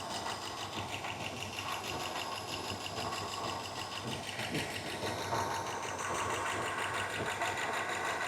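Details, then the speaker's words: 1963 Star Chief V8 idling warm for about 20 minutes: light uneven valvetrain tick over the exhaust from the top end. Owner suspects the rockers rather than a lifter; it has improved but is not gone. "yeah I don't hear nothing back there it's it's somewhere in here so it's telling me that it's not a lifter it's a rocker platter in"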